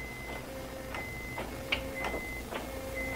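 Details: Honda Odyssey with an intermittent no-crank, no-start, on a lift: sharp clicks about twice a second with the key held, but the engine does not turn over. A failing starter is suspected, with wiring still to be tested; unconfirmed.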